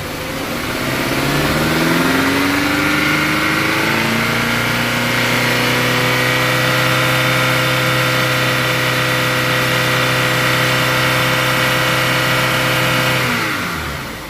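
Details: Rough-running engine, still warming up, held at about 2500 rpm. It climbs to a steady fast speed with a slightly uneven beat underneath, consistent with a misfire under revs.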